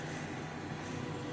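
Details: Newly replaced draft inducer motor on a Payne/Bryant furnace, fixed after a no-heat fault with a bad fuse, runs with a quiet, steady low hum and soft airy whoosh, no rattle or squeal, proving pressure before the igniter glows.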